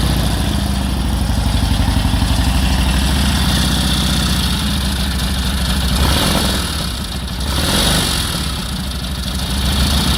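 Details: 1946 Indian Chief, original restored V-twin engine, first run after about 12 years in storage: loping idle about four beats a second, slightly uneven but steady and holding on its own; runs fine.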